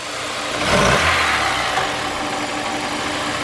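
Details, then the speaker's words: Car with 9,924 miles, engine started and given quick throttle blips: slow, sluggish blips swell and fade back to an unsteady, shaky idle; throttle response very lazy, cause unclear; a fuel return hose clamp was found out of place. "just listening to the motor the throttle similar engine sheets [Applause] they're very lazy"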